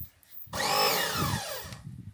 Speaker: mais c'est parce qu'il a un problème de joint au niveau de la sortie d'eau. Le joint est un peu cassé, donc du coup l'eau s'échappe et ça fait un manque de pression. Et c'est pour ça qu'il se déclenche tout seul